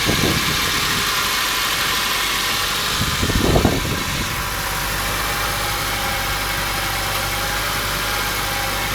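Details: Honda Fit L13A engine at idle: uneven knocking about four per second over the steady idle, loosely tied to engine speed; internal knock of unknown cause.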